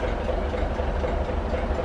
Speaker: Because it's been standing idle for months. But as you can hear, the motor's running okay now.